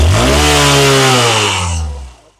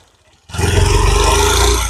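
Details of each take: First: Hunk motorcycle after intake and exhaust valve (tappet) clearance adjustment that cured an internal engine noise; clean, smooth rev that holds, then dies away evenly, no tapping or rattle; healthy single-cylinder engine. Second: Hunk motorcycle engine just started: harsh metallic clatter over the idle, sounding like something breaking inside; caused by wrong intake/exhaust valve (tappet) clearance at the rockers.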